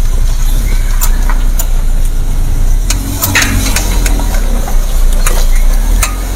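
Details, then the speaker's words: Suzuki R3 front-wheel drive, steering at full right lock with throttle applied, as when making a U-turn: sharp irregular tek-tek clicks over low engine rumble from a worn outer CV joint. "Ini dia posisinya kalau dia di fullkan kanan, nah kemudian digas, ada muncul bunyi Pak."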